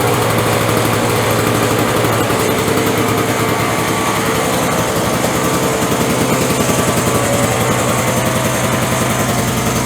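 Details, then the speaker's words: Curbside-rescued Craftsman 5.0 hp two-stroke snowblower, cold-started on recoil with choke and three primes: fast even buzz held for ten seconds without misses or surging; healthy running engine. "All right, she starts great."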